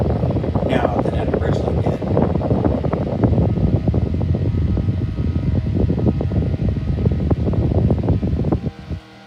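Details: 1956 Zero Fan 1250R after repair, cleaning and pitching all four blades: a steady, even whir with only light clicking, then a long smooth spin-down when switched off, where before it stopped immediately. Quieter than before; healthy.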